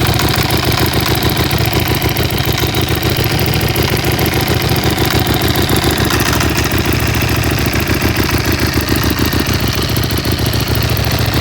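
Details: Aprilia SXV 550 twin-cylinder engine idling: dry, busy mechanical rattle over its lumpy low thump.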